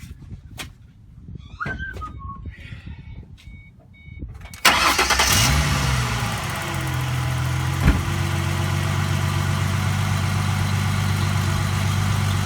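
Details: 2005 Ford Mustang 4.0 at idle after its catalytic converters were gutted and the parts reinstalled and tightened to check for leaks: it fires, flares and settles into a smooth, steady idle with no puffing or ticking from the exhaust.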